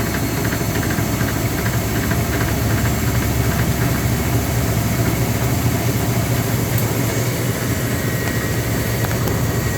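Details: Speed Queen TR washer during agitation: uneven knocking about twice a second under a steady low hum; play in the drive pulley because the pulley nut had loosened.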